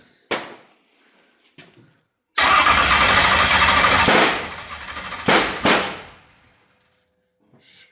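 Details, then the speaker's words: Chevrolet LS stroker V8 first start: short cranking bursts catch into a ragged stumbling run under two seconds then die; something's not right, cause not confirmed. "I'm going to say something's not right."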